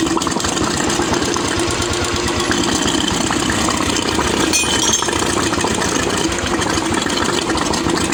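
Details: Royal Enfield UCE Electra (Bullet) single-cylinder after engine-noise repair, with head gasket, head, rocker arms, carburettor and silencer packing refitted: steady idle thump, even valve-train chatter, no heavy knock; oil circulation perfect; healthy idle.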